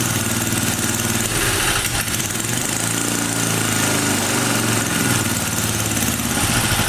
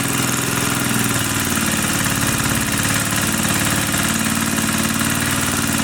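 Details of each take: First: 1980 power tiller with Briggs and Stratton engine, after cover reassembly: uneven, hunting, popping note on choke, pitch wandering; owner tries less choke, suspects too-tight spring or jammed flap; soon runs stuck at full throttle. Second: 1980 power tiller (rotovator) with Briggs and Stratton single-cylinder engine, after restoring spark: steady, even chug with no clacking or misses; runs fine, carburetor cleaning may not be needed.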